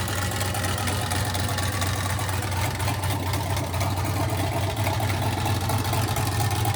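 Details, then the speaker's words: 1967 Chevy C50 turbo LS with 7875 turbo and Holley Terminator X EFI, first start: deep loping idle with choppy cam beat about two per second and turbo spool; healthy big-cam turbo V8. "It sounds freaking amazing. You can hear the cam chop, and you can hear the turbo spool at the same time."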